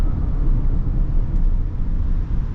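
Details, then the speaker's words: 2021 Subaru Crosstrek Premium CVT, 12,248 miles, brake test on a freeway off-ramp: only an even low road rumble while slowing, no squeal or grinding. Brakes work well and are quiet. "And they work very well. They were super quiet, no problems there, so we're gonna go ahead and finish up this test drive."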